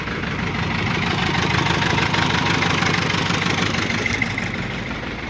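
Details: GAZelle Cummins ISF 2.8 common-rail diesel, 165,000 km, idling around 750 rpm: steady sharp knock about three times a second; cylinder-shutoff test identifies cylinder 3 as knock and smoke source, injectors to be removed and checked.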